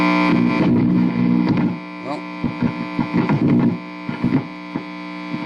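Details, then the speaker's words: Epiphone Valve Junior tube amp with Billy Gibbons mods and low output, no guitar plugged in, volume up: loud steady mains hum and rattly pops when touched; microphonics from the unshorted input jack, gone when a signal is passed. "so it'll have microphonic s-- I'll have micro phonics when I'm not when there's not really passing a signal"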